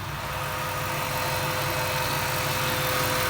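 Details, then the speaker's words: 1998 Jeep Wrangler TJ with swapped-in 5.3 LM7 V8 from a 2003 Tahoe, after a couple hours of on-off idling and fixes; even, steady V8 idle with a regular low pulse, no misses, knocks or ticks. Normal idle. "so I've had it idling here on and off for about a couple hours today just checking stuff out"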